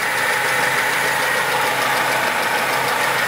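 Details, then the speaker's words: Lada Niva 21213 carbureted, cold engine, just started after ignition repair; even, steady idle with no clicks, misses or rhythm changes; smokes somewhat; normal idle. "Ну вроде так сейчас даже не щёлкает ничего"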